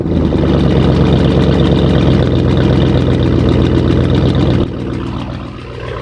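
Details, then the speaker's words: Cadillac Escalade V8 cold start after sitting about eight months; quick steady tick over the exhaust note at idle, caused by broken exhaust manifold bolts at the rear; engine itself said to be healthy; exhaust manifold leak. "There's broken bolts in the area back here. So, that's the reason why um you hear that little ticking noise."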